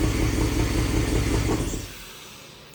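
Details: 1951 Chevy with LS swap at first start-up, one bank's injectors not firing, running on four cylinders, traced to the injector harness. Short lumpy idle that shakes and stumbles before shutting off. Misfire on one cylinder bank.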